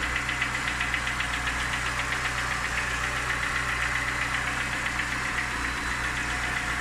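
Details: Niva engine at steady idle with a sharp, regular ticking knock about four times a second; a distinct engine knock, source not yet pinned down.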